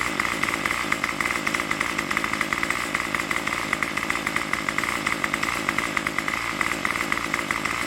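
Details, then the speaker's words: Craftsman Weedwacker trimmer 316.791191 after repair (MTD 27cc two-stroke, Zama carb), idle checked with a tach against the roughly 2600 rpm target, reading about 2700 and jumping around: high buzzy steady fast idle, crisp even firing, no surging. Healthy idle. "the idle rpm should be like somewhere between somewhere near 2600 that's so close we get it all right"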